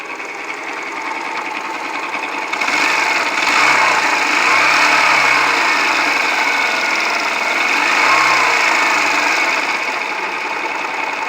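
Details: Yamaha YBR125 single, about 50,000 km, run 50 km on 200 g oil after losing the filler cap, then ~10,000 km low on oil: hard, rapid metallic knocking rising with throttle blips; judged destroyed crank bearings and their crankcase seats, worn piston group, possibly timing chain.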